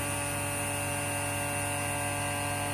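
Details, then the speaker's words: Vacuum pump for a vacuum function test, release valves closed: smooth, constant hum with steady tones and no surging, knocking or grinding while the vacuum reading climbs quickly; normal running. "We start the vacuum pump here. You can hear the voice."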